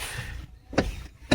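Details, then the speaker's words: 2013 Hyundai Veloster Turbo with a worn flexible steering coupler: two sharp, hollow clunks about half a second apart over a low rumble, the noise heard when driving over bumps, fixed by replacing the coupler. "It's called a flexible steering coupler. It goes by some other names, but that's the name that's on the package. There's a part number. I picked this up at a local auto parts store for about 18 bucks, including tax. And yeah, this is responsible for that noise there."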